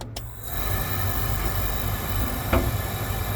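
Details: Oil boiler burner, refitted after capacitor work, clicks and then holds a steady, even roar of fan and flame without buzzing or cutting out; it is firing normally.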